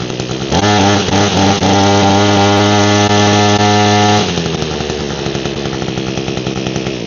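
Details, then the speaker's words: Echo hedge trimmer with a broken primer bulb and fuel of unknown age, started on choke. The two-stroke holds a steady, busy idle with no blade chatter because the cutter blades are locked up: seized hedge trimmer blades. "Let's check and see if it'll run. Put the choke on. These are locked up."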